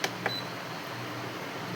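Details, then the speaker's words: Induction cooktop after repair of switch and no-beep fault, fully reassembled, powered directly: two short clear high-pitched beeps then faint hum; buzzer that previously did not sound now beeps normally. "यह जो sound आया beep आया। ठीक है? यह पहले नहीं आ रहा था।"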